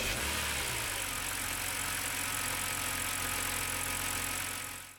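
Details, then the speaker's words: BMW E90 with N52 engine after replacing failed starter with a new Bosch starter: even, brisk whirring crank that catches cleanly into a steady run with no grinding or clicking; healthy starter. "so this is what the new bosch starter sounds like"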